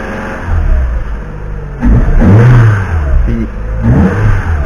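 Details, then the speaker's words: Peugeot 206 S16 intake manifold after repair of the vibrating-butterfly (croisillons) fault, on ethanol; clean rev blips rise and fall smoothly with no manifold vibration, buzz or rattle: normal revving after the fix. "Les gars, et normalement on entend des vibrations hein, du collecteur. Et là, on les entend plus."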